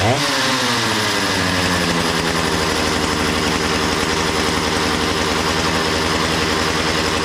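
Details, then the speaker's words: Makita DCS 6401 chainsaw, unused for 10 years, after a new plug, fresh fuel and a cleaned tank and fuel filter: quick rev-up, then a steady high-pitched two-stroke scream with no stumbling; runs well, though the kill switch doesn't work. "hey it seems to run pretty good though go Le for sitting 10 years threw a plug in it fresh fuel clean the fuel tank clean the fuel filter woo this thing is a beast"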